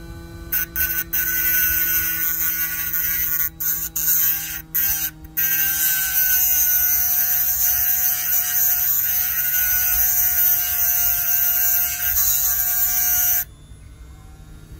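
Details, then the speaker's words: HDD spindle motor driving a hand-drilled 6 cm diamond disc, dry-cutting a stone for a facet-cutting power test: steady high whine with gritty grinding hiss holding speed under load until it stops; motor copes well. "Evet 16 sertlik gayet güzel gidiyor"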